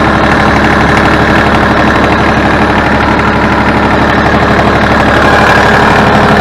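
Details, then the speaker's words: Ford New Holland 1630 3-cylinder tractor on a warm day, after the leaking single-spool rear remote valve was resealed. Steady diesel idle with no squeal under loader or rear-lift load. Before, it squealed until warm, as if low on hydraulic fluid. Leak fixed, normal hydraulics. "i can tell by the way that it that it runs the lack of the steel for the hydraulic system when i put a load on the front end loader or i lift the rear end"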